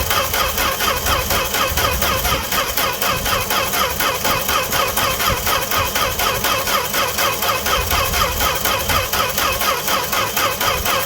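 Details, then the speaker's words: Fargo (Canadian Dodge D100) truck unstarted all winter, cold start without pumping pedal: steady brisk starter cranking over ten seconds, never catches; cranks but won't start. "it's not gonna do anything man but I hope I hope you're getting what you wanted no joke no nothing just cranking this poor poor thing"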